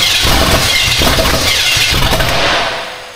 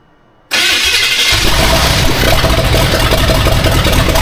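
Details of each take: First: Austin's Buick V8, first runs: rough uneven catch, irregular chuffs, stumbles and dies within three seconds; owner suspects it needs more fuel, not confirmed. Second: Austin's Buick first start: catches promptly and runs strongly with steady firing beat as throttle is held up; sounds healthy, timing possibly needs adjusting.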